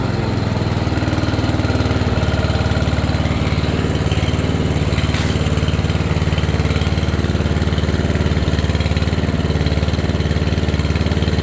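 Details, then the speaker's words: Free riding mower's first run after a new fuel line and a cleaned tank, started on a jumper box. Idle is set very low and reluctant at first. Even, low thumping idle around 220 beats a minute with no misses or surging. "yeah she don't want to idle but she runs freaking right boys all right that's a good sign"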